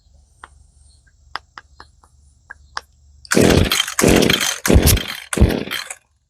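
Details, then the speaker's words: Echo SRM2100 trimmer, 25-30 years old, with brand new aftermarket carburetor fitted dry; repeated pull-cord rasps and clicks, never catches; hard starting, owner questions the needle settings (1 and 1/8 turn out). "Okay, this baby is not easy to start. Might be my weed eater's fault. This is quite old,"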